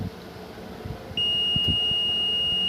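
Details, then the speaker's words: Car ECM board tested with a multimeter on continuity range, one probe on ground and one on the board's 5 V supply line. A steady high-pitched continuity beep shows the 5 V line is shorted to ground. "और यहाँ पर आ रही beep की आवाज़। तो इसका मतलब ये हो गया कि ये 5 वोल्ट लाइन शॉर्ट है इसमें।"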